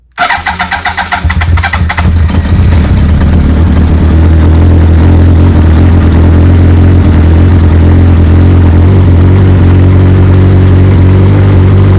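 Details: 2003 Yamaha R1, first start after full Akrapovic exhaust and radiator refit, check engine light with code 18 despite Graves servo buddy: quick cranking catches, then steady, even idle with deep exhaust note; normal cold start.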